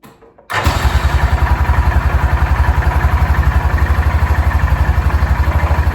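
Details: 2006 Yamaha Rhino 450 started with jump pack: single-cylinder thumping at steady idle, about four beats a second, dull knock on each beat; owner thinks it sounds slightly better after adding oil, knock cause unconfirmed, rebuild planned.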